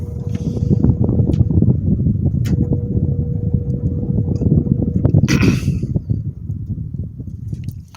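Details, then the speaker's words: GE export fan motor after reassembly and repair, running: low rough rumble with an irregular rattling bearing chatter under the hum. It is better than before, with decent spin-down, but the worn bearing is still audible. "It's better than what it was before. You still hear that bearing chatter in there."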